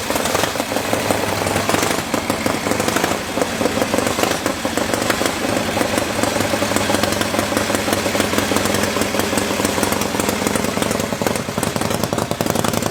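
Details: Freshly rebuilt Harley-Davidson V-twin motor on machine-shop test stand with carburetor: steady even loping beat, no knocks or rattles; sounds healthy.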